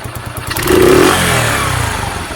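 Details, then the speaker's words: Sinnis SC125 motorcycle, cold, choke used, after idle screw adjustment: brief revs then fairly even idle with steady low pulses and no misses; normal idle, best it has run. "Settle. Just going to pump out, feel it. Rest up a little bit. That's the best it's run ever, I think."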